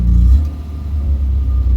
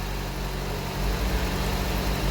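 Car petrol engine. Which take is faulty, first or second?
first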